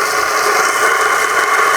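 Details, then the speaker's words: Bronson Raw Jamie Foy skateboard bearings after Windex cleaning and reinstalling, wheel spun: an even, steady free-spinning whir with no grit or catch. Smooth, healthy bearing spin. "Listen to that. That sounds so good. So much better."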